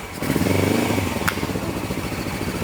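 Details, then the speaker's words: 1980 Suzuki GS450 barn find, long unused, on first electric start: it catches and revs with uneven popping and one sharp crack. This is a backfire from running without its airbox and air cleaners. "oh it sounds fantastic yeah backfire a little bit airbox and some air cleaners Reet it that would be fantastic"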